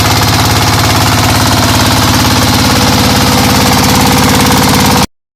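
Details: Single-cylinder diesel after its camshaft gear timing was corrected, warming up at idle: loud, regular thumping at about three and a half beats a second, steady and even, running normally.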